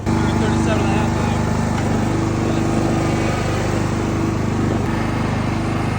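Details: Husqvarna YTH21K46 mower, Kohler Courage 21 hp engine, hydrostatic, 337 hours, after the exhaust was welded and reinstalled (it was 104 dB before): a steady fast even beat, no blowing leak or popping; normal exhaust.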